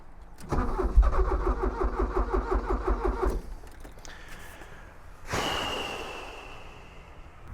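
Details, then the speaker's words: Porsche 944 that ran a week ago, after injector testing with fuel pump relay jumpered: starter cranks in even pulses about three per second for nearly three seconds but engine never catches; crank, no start. "It ran one week ago. It just started up and I drove it from there to here, 20 ft away. Not a problem. Now it doesn't want to know again."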